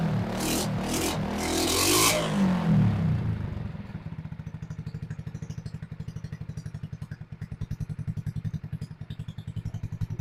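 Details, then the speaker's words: RPS 150cc sport ATV: handling noise, then a steady low putt about three to four beats a second as the idle screw is opened and idle settles slightly faster before warm-up. "it a little bit more idle all right let let it warm up and see what it does"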